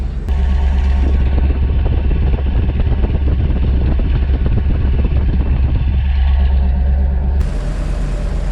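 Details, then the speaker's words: Ford RV after new fuel injectors, plugs and Accel coil, timing perhaps a few degrees off: deep, steady V8 rumble at the tailpipe with an even beat and no misses; runs much smoother now. "but man this thing sounds so much better now smooth let's go listen to the exhaust on it"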